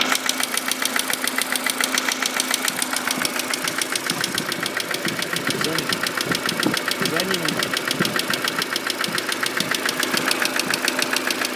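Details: Mercedes W168 engine at warm idle: sharp, even ticking knock about three to four times a second, cause not yet identified; engine knocking at warm idle.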